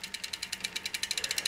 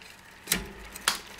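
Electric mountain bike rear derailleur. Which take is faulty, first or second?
first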